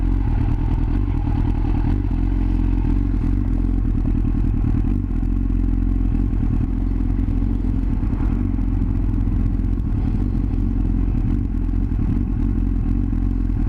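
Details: Yamaha R6 misfiring at low RPM: a low, uneven stumbling beat with irregular dropouts in the firing. Caused by ignition coils not properly seated; it ran perfectly once they were pressed fully home.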